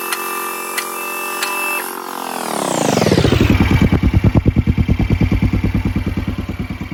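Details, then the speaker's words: 2011 Kawasaki Mule 610 XC, 1,000 hours, overdue service, oil leak, spark arrestor missing; running with steady beat about three pulses a second and thin high squeak; belt or clutch suspected. "And there's a squeaky noise I'm sure you can hear. I wonder if it might have something to do with the belt or maybe one of the clutches."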